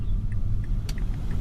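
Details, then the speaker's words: 2006 Mazda 3 with FNR5 automatic on a test drive after cleaning the mass airflow sensor: steady low engine and road rumble, and the 1-2 and 2-3 shifts that had been hard are now very smooth. "so here I am on a test drive after cleaning the mass airflow sensor second gear it's very very smooth"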